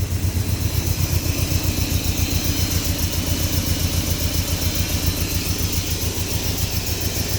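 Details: 1970 Datsun Roadster SPL311, revived after sitting 30 years, warming up: steady, even idle thump at about four beats a second with no misses or knocks; running smoothly.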